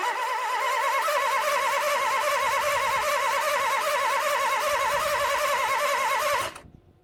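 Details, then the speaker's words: Toyota 1NZ-FE engine after LAVR ML-203 decarbonizing, plugs and coils reinstalled: starter whirs with rhythmic wavering pitch, about three to four pulses a second, engine never catches and stops. "Итак, двигатель у нас заводиться отказывается. Но ничего, как говорится, не хочет — заставим."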